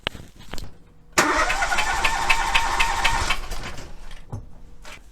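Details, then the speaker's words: Three-cylinder engine with spark plug number two removed, cranked for a relative compression test with the oscilloscope on the battery: about two seconds of uneven cranking, one stroke per turn lighter, a flat spot in voltage showing that cylinder has no compression. "we've got a flat spot in the voltage right so clearly it can pick up a complete compr"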